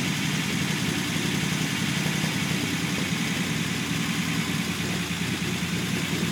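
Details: Unimog 404 first start-up after new fuse boards and a rewire; smooth, even idle with a steady low beat, no knocks, ticks or hunting, running healthy.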